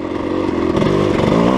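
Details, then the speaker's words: Dirt bike with Rekluse auto-clutch: off throttle at lowest speed, a blip locks the clutch; engine note falls steadily and holds pull without slip or flare, normal engine braking. "Hear that auto clutch engine braking at that lowest speed? So just give it a blip. And it'll lock it up. And I can engine brake."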